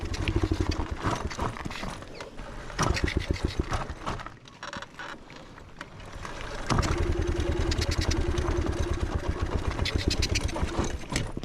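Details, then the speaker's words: Pit bike just back in working condition after weeks of repairs, bump-started downhill on a first ride: the small single fires and chugs in slow, uneven bursts, bogging instead of climbing when throttled. No throttle response; cause unknown. "she starts, but she's not getting throttle. Oh, I think that's throttle. But she's not. She's chugging, cause it'll start."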